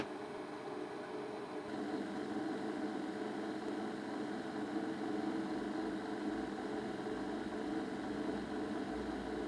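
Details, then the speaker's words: Ferguson Videostar 3V36 VHS deck, previously repaired but noisy, starts up into a loud, steady whirring drone from a noisy capstan motor, due to be replaced with a replacement motor along with a belt. "That's the capstan motor making that noise. Now I've managed to get hold of a replacement motor and I'm going to fit that today."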